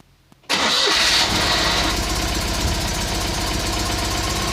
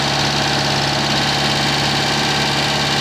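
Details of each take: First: Citroen 2CV, about 120 miles after engine overhaul, just after valve clearance adjustment: starts at once, even steady idle, no loud tappet clatter, much quieter valvetrain; slight exhaust blow at a clamp; normal idle. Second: Citroen 2CV after engine overhaul, microphone pointed at a leaking exhaust clamp with soot marks: a steady idle with a sharp puffing hiss on each exhaust pulse, exhaust blowing past the clamp.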